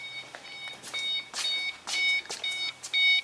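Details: 2005 Ford Mustang 4.0L being diagnosed for misfire, rough idle and intermittent no-start (P0340, P1336): a repeating high key-in-ignition reminder chime about once a second. This is a normal warning.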